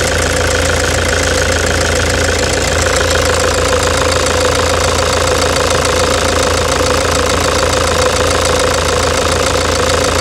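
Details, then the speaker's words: 2009 Toyota Hilux diesel at idle before repair: very loud, harsh knock with an uneven, shaking rhythm and whole-engine vibration and misfire. Caused by a stuck, defective injector. "essa Hilux cinza aquele que está no box ela tá com grão-de-bico e o bico está travado certo e para você ter uma ideia ela está castanhando alto tá tá mas muito alto"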